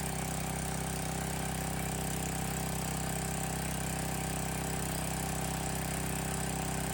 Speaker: Honestly, a lot quieter than I thought it would be. I don't know if you can hear it on the camera, but it's really not all that bad.